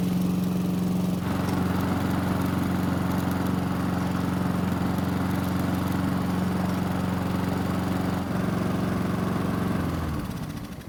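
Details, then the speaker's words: Honda walk-behind mower with a faulty choke system, started after priming with fuel: small single runs steady and even at a fast beat, no misses or hunting, then winds down; engine fine, only the choke needs fixing. "so the good news is that after priming the engine it not only started but it kept running that means we only need to fix the choke system"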